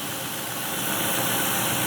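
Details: Cadillac DTS V8 with head bolt issue, cooling system on plain water, coolant low: smooth, steady idle with even low rumble and no knocks, ticks or misses; sounds healthy.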